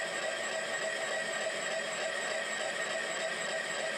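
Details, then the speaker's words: Milling machine (K&T) power feed boring a galled bearing bore in 1943 Hendey 16x30 lathe apron: steady cutting tone pulses several times a second as the boring tool enters and leaves galled grooves and ridges; interrupted cut. "as you can hear the uh boring tool is in one of the grooves that was Gall into that bearing now we're getting a ridge between a couple of the grooves and then I think we go back into another we're back into another one of the grooves"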